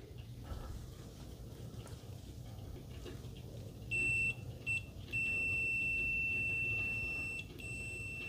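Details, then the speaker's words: ANENG 613 multimeter in continuity mode with Pro Master test leads: thin, high-pitched beep in short quiet bursts; fast response, maximum output 63.2 dB, not very loud. "63.2 DB maximum output in continuity and that my friends is not very loud"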